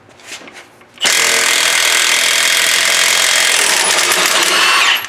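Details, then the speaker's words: Milwaukee three-quarter-inch cordless impact with fresh battery on 2009 Ford F-750 lug nuts the half-inch couldn't remove: fast hard rattling blows for about four seconds until the nut spins free; strong normal operation. "with a fresh battery they've come out with an actual d handled tire impact with a six inch anvil one inch drive"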